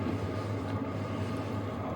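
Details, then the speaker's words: HCalory Toolbox Max diesel heater dropped to lowest setting 1, casing not hot to touch; soft steady low hum with a very minimal fuel pump tick, inaudible at setting 5 or higher; normal low-setting operation. "We dropped it down to the lowest setting. There is a slight tick. You cannot hear it when it's on 5 or higher, but it is a very minimal tick."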